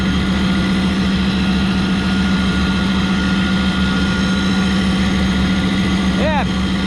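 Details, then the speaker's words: York rooftop unit with second-stage heat down, during burner assembly repair (flame sensor, igniter, ignition control board, carryover tube): loud steady drone with a strong low hum; the combustion blower is abnormally loud and should have been written up. "I can't hear myself think over this combustion blow are freaking loud"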